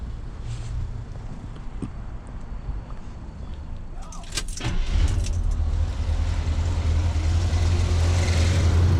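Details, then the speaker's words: 1977 Chevy C10 V8 after replacing spark plugs that caused misfires on cylinders 1, 5 and 7: smooth, even low idle rumble with no skips, running on all eight cylinders, repair verified with scope; normal idle. "we call it bitchin 477 but I'm gonna say it's running on all eight oh yeah"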